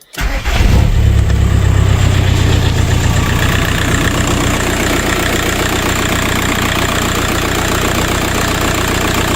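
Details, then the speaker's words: VW Passat B3 with a PD150 (ARL) diesel swap, after replacing a bad turbo: cranks, fires straight away and settles to a steady even idle; the old turbo's siren noise is gone. "oh looks good sounds all right well that's that I've done it Turbo's on sounds good I've lost that woo woo noise"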